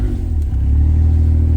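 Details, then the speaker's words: Suzuki Alto Works after a breakdown and battery swap, revved with headlights, fog lights and radio on: smooth rev, deep even drone, no squeal or chirp. No belt squeal under electrical load. "okay so no squealing let's turn headlights on fog lights on radios [Music] on okay still no"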